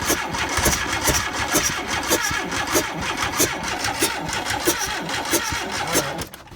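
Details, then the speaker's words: VW Vanagon Westfalia engine cranking with an even thump and sharp ticks but never catching; spark and flame confirmed, injectors powered but no fuel squirting out, owner suspects insufficient fuel pressure. "yeah there's no gas shooting out here whatsoever so I wonder if we don't have enough pressure sorry about that so that did not work"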